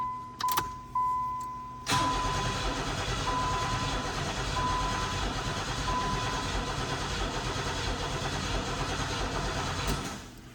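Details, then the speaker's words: 1990 Pontiac 6000 SE AWD, sitting 20+ years, about a gallon and a half of fuel added: starter spins steadily about eight seconds, never catches; gauge fuel pressure barely moves, so low fuel pressure. "All right, if we get in here will it build fuel pressure now? Looks like it wants to. The needle on the gauge is moving a little bit, but not much."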